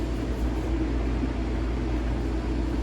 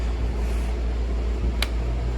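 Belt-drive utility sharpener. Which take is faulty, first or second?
second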